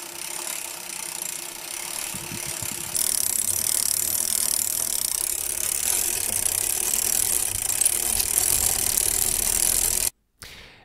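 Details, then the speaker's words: New Shimano Sora R3000 rear derailleur while pedalling: a high, thin squeak over the ticking chain and freewheel. Dry derailleur guide pulley bushing, fixed by a full service with grease. "certainly hello my friends we could hear some squeaky noise noises coming out from the rear derailleur"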